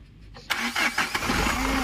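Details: Mahindra Xylo diesel, after repair of a no-start and vibration fault: a short crank, then it fires within half a second and holds a steady idle without stumbling; it starts cleanly.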